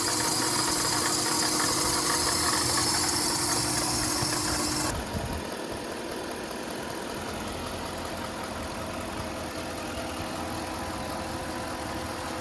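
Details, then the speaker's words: Jeep Grand Cherokee Trailhawk after replacing a leaking water pump that caused a rattle, before any overheating: even, steady idle with a smooth low hum, no rattle or tick; normal idle after repair. "we kind of caught it before it completely went out so let's turn the car on here we'll start it up and see if you guys can tell a difference in the sound"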